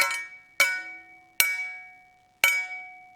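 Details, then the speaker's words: Copper being forged: four hammer blows each leave a clear, lingering bell-like ring, showing the copper has work-hardened sufficiently and needs annealing. "it sounds like a bell you know you can hear that loud noise out of it that's when it's hardened up sufficiently and that means it's time to go ahead and anneal it"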